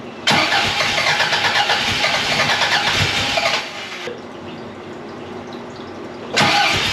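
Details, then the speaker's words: 1982 Fiat 124 Spider with a twice-rebuilt engine, new exhaust and freshly set timing and valve shims, on its first start attempts: steady cranking with no catch, pauses, then cranks again; the ignition timing still needs tweaking. "it wants to go and we're right [Music] there all right so we're still chasing in a little bit but we got some fires off there um it's just going to take some more tweaking"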